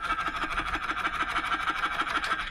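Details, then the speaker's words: Hero Splendor motorcycle after a service; electric start cranks at an even whirr, about six beats per second, but never fires and runs down; owner says battery is fine, and kick start only occasionally works. "और उसके बाद ये तो self हुई guys, अभी एक की अभी ये देखो सेल्फ नहीं ले रहा, आवाज़ सुन रहे हो"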